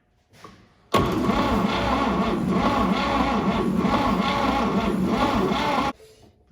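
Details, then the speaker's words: 1950 Chevy 3100 pickup, first start in 35+ years, floor starter button: steady cranking about four beats a second for five seconds with no firing; turns over but won't start, ignition suspected, spark found afterward. "I'm sure that it's hooked up correctly. I'm not sure if we have any ignition though."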